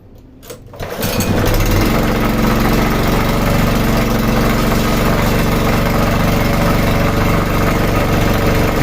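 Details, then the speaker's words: Sanchin 30 pressure washer sprayer pump at start: loud, hard, fairly regular knock about four per second over the drive; suspected worn crankshaft bearing on either side, possibly a loose connecting rod. "di situ tadi terdengar suara yang sangat keras sekali itu kemungkinan kerusakan ada di bearing entah bearing sini atau bearing kanan"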